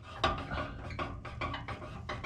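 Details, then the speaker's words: Scion xB, heard from underneath: uneven tinny metallic rattle as the exhaust pipe moves, a clamp bolt rubbing the heat shield; the shield is not loose, possibly bent by debris. "there is this heat shield that could possibly rattle I have to inspect this it's not loose maybe just bent out of shape from something flying up underneath the car"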